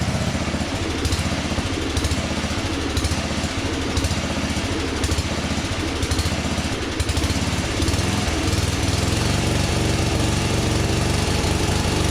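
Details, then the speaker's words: 1982 LongLife 36-inch lawn tractor, barn find sat for years, first start on jumper pack: single cylinder thumps with rough, lumpy beat, steadying and louder near end; fuel filling a possible crankcase vent breather, engine likely flooding. "But obviously fuel is filling up in here and backing up into there, which makes me really think that the engine is flooding itself right now"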